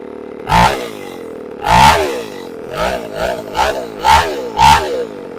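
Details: Chainsaw after a new carburetor was installed: sharp throttle blips about every half second, each revving cleanly and dropping to a steady idle without bogging or stalling.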